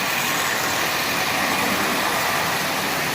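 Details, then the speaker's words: Marx 1938 Commodore Vanderbilt, an 80-year-old toy train engine revived with about five minutes' work, pulling its cars: one smooth continuous rolling rumble with no individual clicks; cars running perfectly in unison, normal. "it just produces this Rumble as you hear and you can tell a consiste is running well by how it sounds and since there's no individual noises means these cars are running absolutely perfectly in unison"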